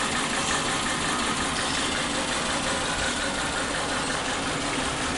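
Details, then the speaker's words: Suzuki Katana, carbureted, one dead spark plug (plug 3, black and crusted) causing a misfire: uneven, lumpy low-rpm idle with irregular stumble and heavy cabin vibration, even when warm; power is down. "ternyata masalahnya adalah ada satu busi yang mati nah ini harus kita kita perbaiki"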